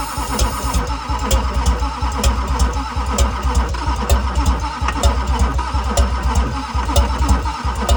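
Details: 2001 LB7 Duramax diesel cranked while spraying ether into the intake: steady, even starter cranking with regular compression beat and no catch; cranks but won't fire.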